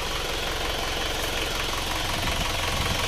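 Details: Isuzu Panther diesel warm at 72°C after flipping the sunken cylinder 4 liner and fitting new rings; the dipstick blow-by that used to spray hard is now gone. Steady, even idle clatter with no misses or lumpy beats; healthy.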